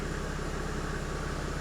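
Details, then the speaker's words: 1997 Mercedes E300 (W210) diesel after replacing all six glow plugs: a steady, even idle with a smooth low beat and no misses or knocks. Before the repair it knocked badly at startup. It now runs healthily. "that's a winner winner chicken dinner yeah she sounds good she sounds really good"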